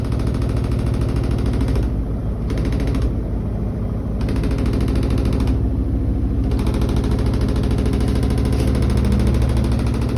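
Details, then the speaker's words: New Koenic KWM 8212 A INV inverter washing machine, empty cleaning run, spin cycle: rapid, regular hard knocking about three per second over the drum rumble. The lid bangs because it does not close properly. "Okay, das ist der Deckel, der knallt. Der Deckel ist schließt nicht richtig. Der knallt ganz schön."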